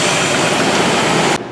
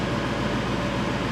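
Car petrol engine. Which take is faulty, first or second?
first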